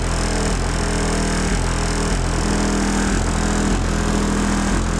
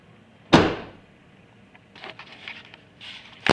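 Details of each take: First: 2005 Chevy Impala after trunk rattle fix with felt pads and caulking, driving: steady road and engine drone with light irregular rattles over bumps, much quieter than before; remaining rattle mostly license plate and uncaulked bumper tabs. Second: 2005 Chevy Impala trunk lid after adding felt pads, caulking and wire to stop a rattle: two firm short thuds with no rattle or buzz afterward, closing solid rather than hollow.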